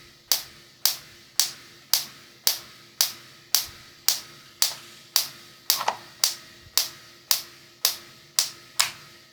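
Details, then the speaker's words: Ignition coil connection check using a pencil, after reversing the coil wires (negative first terminal, positive second): sharp, even high-pitched snaps about twice a second, small spark toward negative terminal; coil now correctly wired, normal spark. "The second thing is that there's a small spark now directed towards the negative terminal. So, we can tell that the coil is connected correctly."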